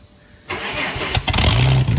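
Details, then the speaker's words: Ford AU Falcon burnout car on 98 fuel, first start after new boot-mounted fuel cell, fuel pump, filter, AN lines and pod filter: fuel pump heard, engine cranks briefly, catches at once and settles into a steady idle, no leaks; normal start. "But yeah, give her a go with the starting with the fuel pump, and should start right up."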